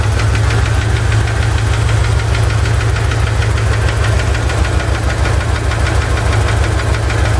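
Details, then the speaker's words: Chevy ZZ4 350 V8 idling with a steady light knock or tick about two a second from the driver's side, persisting after valve lash adjustment; owner suspects piston slap or spun bearing, undetermined. "I just did valve lash adjustment and I still have this knocking sound or ticking sound. Seems to come from the driver's side."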